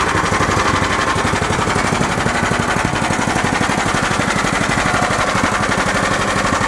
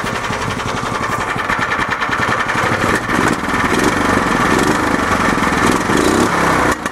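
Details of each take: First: Club Car golf cart after engine swap, ARC governor bypass throttle plate, K&N cone filter, Comet 94C clutch, cold start idling about 1200 rpm: choppy single-cylinder beat with about four clatters a second; slight exhaust rattle, considered acceptable. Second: Club Car golf cart after engine swap, with governor bypass throttle plate and K&N cone filter, started cold: small single-cylinder engine idling around 1200 rpm with a quick, fairly even putter and crisp exhaust pops; exhaust rattles slightly. Normal idle.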